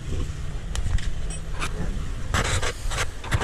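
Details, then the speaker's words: Yamaha Mio i scooter, torque drive shaft bearing suspected: revving brings uneven knocking ("tokotok") over a low engine rumble; something loose inside, with the bearing suspected but not yet confirmed. "Gawa ng tanggal to, binuhay namin, may ingay dito. Pag binibiram siya, para siyang may tokotok. Tokotok sound."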